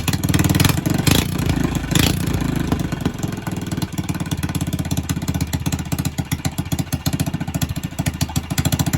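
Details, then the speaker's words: Predator 301 single-cylinder engine on a Coleman, ported and polished, first start-up, owner feels idle may be too high: steady, even firing after a quick rev, no knocks or misses; normal running. "But I mean, like I said, so far it's been one puller. She sounds good, man."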